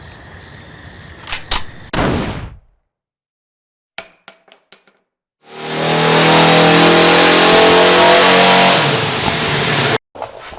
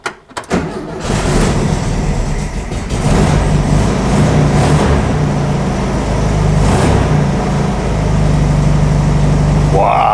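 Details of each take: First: Barn-find VW Beetle engine after sitting over twenty years, fuel tank cleaned; starter spins it steadily about four seconds but it never fires. Coil has positive from ignition yet no spark; crank no start. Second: Air-cooled VW Beetle engine started after sitting over twenty years, with cleaned gas tank and temporary fuel hose: catches quickly and settles into a steady, even beat with the choke working, running healthy.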